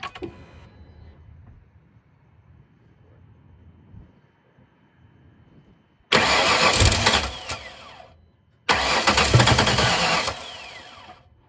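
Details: 2007 Ford Mustang: two bursts of steady, even starter cranking, each stopping without the engine catching; cranks fine but won't start. Owner says fuel came out of unplugged fuel line, so doubts fuel is the cause.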